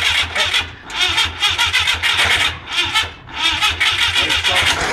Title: Citreon dyane with Gs Engine still won't start!!